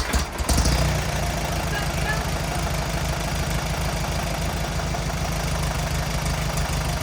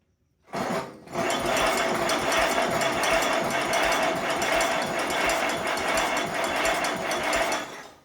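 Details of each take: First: 1950s Allis Chalmers CA tractor, after freeing 20+ year seized engine and replacing rotor and condenser: quick crank, catches easily and settles into steady, even low thump at idle; running normally. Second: 1950s Allis Chalmers CA tractor, freshly freed seized engine after 20+ years sitting: starter churns steadily about seven seconds with no firing; no spark, new coil fitted.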